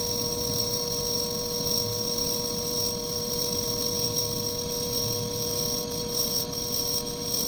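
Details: Lathe skimming and facing a homemade bench block at a slow feed: even motor whine, steady high tones and a smooth cutting hiss with no chatter or squeal. A clean finishing pass leaving a mirror-like finish.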